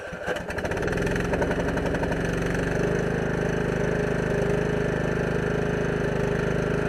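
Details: Husqvarna lawn tractor with an added electric fuel pump, cold start at about 36°F after sitting all winter: cranks briefly, then catches and settles into a steady, even putter with no stumbling or bogging; the engine runs healthy.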